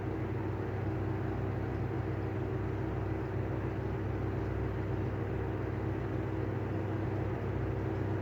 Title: Better catch of bad bearings on the Airflow exhaust fan